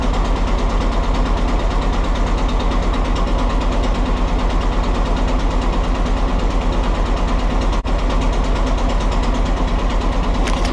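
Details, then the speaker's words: Willys L134 engine in a Jeep CJ2a, now burning oil and smoking white: starts right up but rough steady idle with regular knocking near two a second; cause of the internal knock still unknown. "So it starts right up. But it just doesn't sound good."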